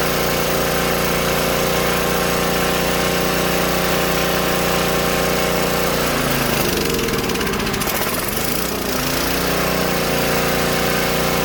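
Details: Old Tecumseh-powered generator revived after years outdoors in rain and snow; restarted after stalling with fan load, steady busy buzz that dips and wavers briefly midway then settles; only needs a little carb tuning once warm; outputs 115 V; normal running.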